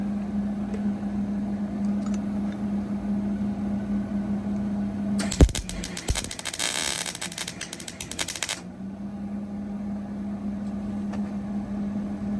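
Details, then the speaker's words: Short MIG weld with steel wire repairing a broken shop stool, over shop fan hum: arc crackles and pops unevenly, sputtering attributed to a poor ground clamp connection. "you might hear that my ground wasn't real great there"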